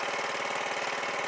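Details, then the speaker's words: ATV at idle after cleaning the carburetor and replacing the idle circuit: a quick, steady, even putter with no hunting. The idle circuit is feeding properly and it now runs smoothly. "now she's running like a [Applause] champ"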